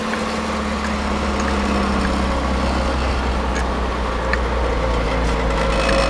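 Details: 1985 Chevy Cavalier CS station wagon, first start in a long time: rough, uneven idle with an irregular stumble and shake at about 200 beats a minute; misfiring on at least one cylinder.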